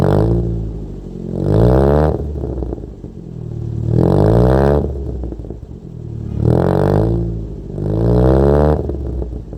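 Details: Wrecked Toyota Corolla with distributor settings changed and throttle body unfixed: harsh, strained blips about every 2.5 seconds, no power at all, not drivable. Rough running from incorrect ignition timing.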